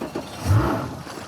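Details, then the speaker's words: 2013 Harris float boat outboard, 320 hours, on its first cold start: a brief cranking burst catches at once into a low, even roar. "A fires right up. I got to wait for the water to start squirting out."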